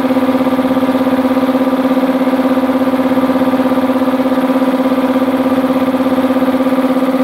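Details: Multipro 2 HP (2.2 kW single-phase) air compressor after cleaning dirt from the check valve, filling tank: steady even pumping beat around three per second with clean level hum, no faltering; leak fixed, normal.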